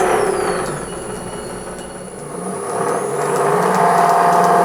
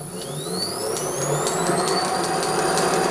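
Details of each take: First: Restored pre-1907 Hardinge Cataract lathe test run: steady whirring with a fast regular rattle from excessive clearance in the roller's sleeve bearings; ball bearings to be fitted. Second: Pre-1907 Hardinge Cataract lathe on a VFD, roller vibration fixed with newly turned bearing fits on the 5/8 shaft: smooth, even whir with rising drive whine, no rumble or knock, much quieter going forward; reverse still not good.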